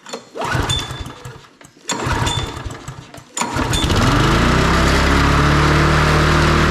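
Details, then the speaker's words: MTD Lawn Chief push mower, Briggs & Stratton engine, started after repairing a no-spark fault, ignition coil working: a few rope pulls, then it catches and holds high steady speed without dropping back; throttle stuck open from gummy carburetor linkage. "Well, it runs good, but the throttle is stuck. I managed to move it down, but it's really gummy on the carburetor here."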